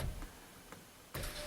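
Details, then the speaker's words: 2008 GMC 2500HD, 6.0L: power window motor pauses then hums and runs steadily only when the driver's-side switch is pulled up hard, working about every other press; faulty window switch. "Yeah, it's about every other turn, but if I pull it up hard, it does go up."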